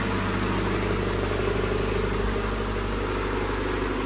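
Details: Honda Civic EF (son's project car) finally started on a weak battery after failed attempts: smooth, even idle with a steady low hum and no misses, knocks or hunting. The engine sounds healthy.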